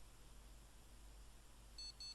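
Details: Gigabyte GA-Z77X-D3H motherboard, damaged socket pins, during voltage probing (VRAM ~1.5 V present): short high beeps about three a second; stops, reboots and beeps again; no boot, cause not yet known.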